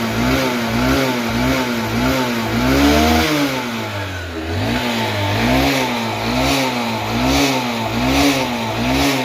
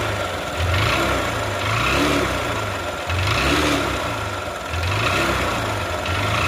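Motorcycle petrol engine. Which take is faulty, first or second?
second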